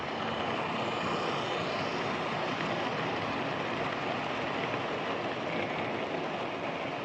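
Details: Old Lima Class 31 model locomotive in freight livery after overhaul with an extra pickup added on the front bogie, running on the layout: steady whir at constant pitch, no stutter or drop-outs, no pickup issues; normal running.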